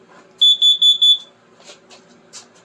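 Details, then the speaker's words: Carbon monoxide detector sounding four loud high-pitched beeps in quick succession, set off by exhaust from a Spitfire run in the garage. "now that's my carbon monoxide detector cuz I had the car running good thing to have laying around"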